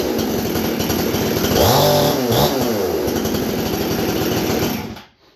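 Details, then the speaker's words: Husqvarna 288XP two-stroke chainsaw idles fast and uneven with a raspy rattle and a brief rev while the chain keeps creeping at idle; adjusting the idle calms it only slightly, and the owner suspects an old, worn clutch. "Once it warms up real good and idles down, I play with the idle on that thing a bunch, trying to get it to that change speed right, and it kind of calms down a little bit, but it still it acts like a worn clutch"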